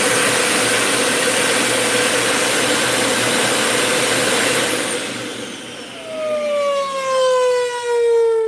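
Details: Dyson UP19 upright vacuum with replacement head, filter installed: thin, very high steady whistle over the motor roar, then spin-down; air leaking past an unsealed filter gasket.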